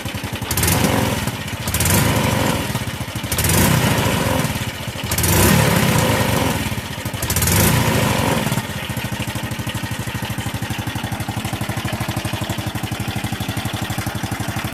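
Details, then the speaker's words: Old Honda Wave 110i after resetting ECU with error code 12 still stored (injector), previously hard starting and dying when revved: now starts easily, clean throttle blips without stumbling, steady even idle; normal idle and revving. "ที่เห็นครับปรากฏว่าสตาร์ทติดได้ง่ายเดินเบาได้และบิดติดมือไม่มีสะดุดหรือวูบ"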